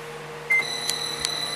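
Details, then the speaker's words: Pop-up camper running a microwave from an inverter: high electronic beeps and clicks over a low hum as the inverter alarms because the battery is nearly dead, then it cuts power. "and you can hear the inverter's beeping like crazy and yeah it just killed power cuz the uh battery's about dead"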